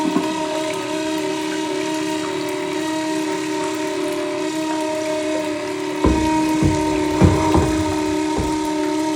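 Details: Toilet refilling: a steady, high whistle holds through the refill with gurgling water bursts over it. The toilet whistles during refill.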